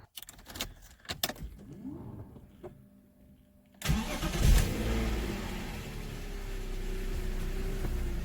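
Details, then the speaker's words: BMW E46, alternator removed, engine started briefly to check for noise before suspension repair: after clatter it catches and settles into an even, quiet idle with no knocks or whines; normal idle. "Yeah, that's a good sign, because we don't have any strange noise, yeah? Everything spins, but we have no strange noise from the engine."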